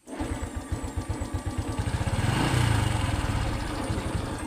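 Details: Honda Wave 110i LED (c.2019), intermittent starting, stalls on throttle; fuel pressure good near 3: uneven stumbling beats about four per second, sagging as throttle opens. Misfire traced to shorted spark plug cap.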